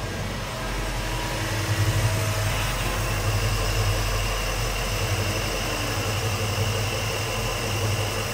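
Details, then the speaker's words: 1964 Ford Galaxie 500 XL with original engine reinstalled, carburetor overhauled, fresh fuel in the fuel tank, warming up: deep, steady V8 idle with an even lope, beautiful rumble, no misses or knocks, running smoothly as it should; normal idle. "but right now I just love the sound of it it's got a beautiful Rumble to it and it's a smooth R"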